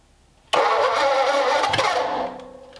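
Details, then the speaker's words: Ford flathead engine bought at a swap meet, run on a stand with old waxy oil and a partially dead battery on a jump pack: sluggish, uneven cranking churn at about four turns a second for under two seconds, never catching; cranks but won't start, nothing in the carb yet. "Nothing Nothing yet. in the carb yet. Yeah. Yeah, we'll try doing the brake clean."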